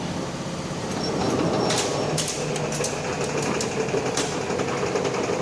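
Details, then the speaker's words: JF silage harvester after blade repairs, run at 540 PTO; loud steady roar with irregular sharp knocks, no clean rhythm, in the cutter drum; assumed to be a blade or possibly a stone, source unclear; knocking. "I don't know what that noise was. I'll go 540. Slow it down a bit. Is that knocking? Is that not the blade?"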